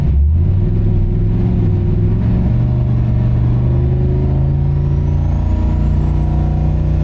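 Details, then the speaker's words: Turbo Oldsmobile on a Holley Terminator X, light-throttle (about 10%) dyno sweep: a deep V8 rumble with the turbo whistle rising fast as it spools, normal and healthy. "So it kind of ran around in circles a little bit, but this thing spools up so fast that you give it any throttle and the turbo just sounds like it's going crazy."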